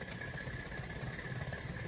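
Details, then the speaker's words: Daikin inverter AC outdoor unit after UA and A6 (fan motor feedback) errors repaired: steady compressor hum with lumpy, uneven fan whir pulsing; non-original replacement outdoor fan motor runs unevenly, fan blade not connected, may shut off with fan motor error. "Outdoor fan motor original fan motor போட்டாதான் நல்லா ஓடும் இல்லைன்னா இது மாதிரிதான் ஓடும்"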